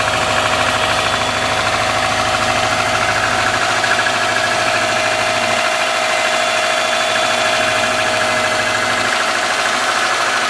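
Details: 2003 Subaru Forester, 178k miles, cold start about 150 miles after a head repair for a dropped valve guide: light quick metallic ticking at idle from the driver side. The driver-side front exhaust valve clearance was .029 instead of about .010; adjusting it cured it.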